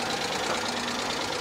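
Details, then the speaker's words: 2011 Hyundai Genesis Coupe at a salvage auction: fast, light top-end chatter over a hissy idle that doesn't settle once warm. Cause unknown; low oil is mentioned as a possibility. "a lot of times these cars sit for long periods of time, and when you first start them, they'll chatter like that for a minute, and then it goes away. It should have gone away by now. Yeah, I don't like the sound of that."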